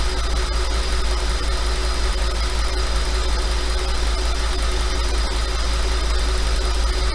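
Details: 5.2 FSI engine at slightly raised idle: steady deep idle with a fast, fairly regular light rattle that never lets up; owner asks if normal, suspects piston slap, unconfirmed.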